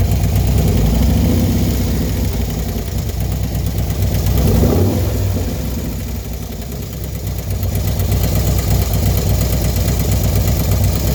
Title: Clicking noise after installation of 110 kit 6/2/19